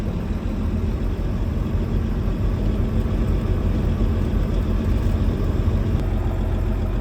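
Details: Mack diesel truck rated about 550 hp, whose only common problem is injectors: deep, steady idle rumbling evenly with no knocks or misses; the engine sounds healthy.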